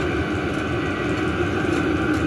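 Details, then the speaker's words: Newly installed diesel heater on first firing, fuel pump audible: steady even hum with no knocks or rattles, running normally. "there's the fuel pump they say these things are noisy I hear it"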